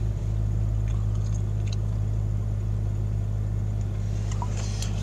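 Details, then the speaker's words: 1999 Jeep Cherokee XJ Classic 4.0 4x4 automatic, cold start in snow, idling: deep, slightly uneven lumpy beat, mild misfire, tach needle bouncing; later found to be a bad ignition coil. "having a problem with this Eiling poorly I'm holding my hand up against the steering wheel a little bit of misfire not sure what's cause now it's not too bad right now"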